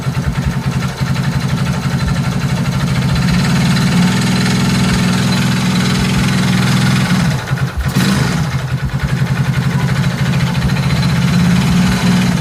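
Engine revs up and holds under load with a rough, uneven low drone and a brief dip midway; unusual noise on acceleration, cause unclear.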